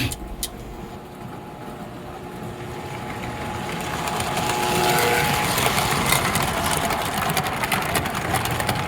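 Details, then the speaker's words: 1955-57 American Flyer #372 Union Pacific GP7 locomotive motor on the bench, no field-to-armature adjustment made yet: even electric hum climbing in speed and holding steady, no grinding or stutter, running very well. "But kind of out of the gate, this thing is running very, very well, as you can hear and see."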